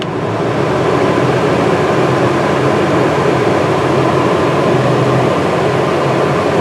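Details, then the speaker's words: New Duromax XP2000EH dual-fuel inverter generator, after 5-hour break-in, powering a truck camper RV air conditioner on high cool: even hum and fan rush, holding speed smoothly, no surging. Normal running under load. "High cool. So far so good. So no problems with the AC."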